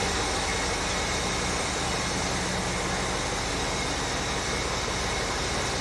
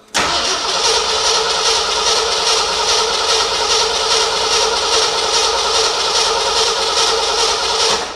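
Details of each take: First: 1975 Ford F100 just restarted after sitting a while: steady, unbroken idle with an even rumble, no stumbles or ticking; normal idle. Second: 1975 Ford F100 cranks evenly, about two turns a second, for eight seconds without firing; no fuel seen reaching the fuel filter, which needs replacing, so a no-start from no fuel delivery.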